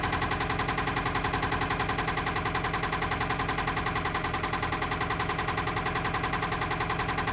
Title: 2008 Toyota Camry engine knocking